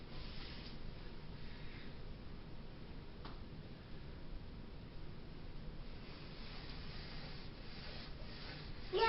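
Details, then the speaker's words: Sliding closet door after greasing inner and outer tracks: rolls with a soft low rumble and no squeak, previous squeak fixed. "all right and that goes a lot smoother now - they gotta careful not to slam the door open or close but no more squeaky nests"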